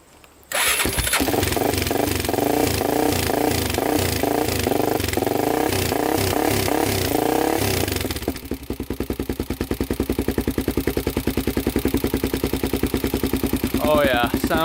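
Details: 2001 Honda 400EX with 416cc big bore and newly installed Hotcams stage 2 cam, first start after install: fires first try, a few sharp throttle blips, then an even, steady single-cylinder thump at idle; sounds healthy.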